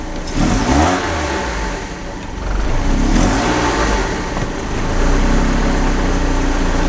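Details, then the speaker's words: 1991 BMW E30 318is (M42 four-cylinder) after tune-up with new belts, oil change and air filter: two blips rev cleanly and drop smoothly back to steady idle, no misfire or knock; normal revving. "so let's see if it made this car sound any better yeah that sounds nice"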